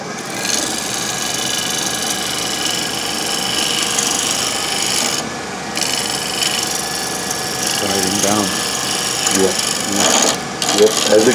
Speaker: rounder, you hear the noise stopping, the chatter stops.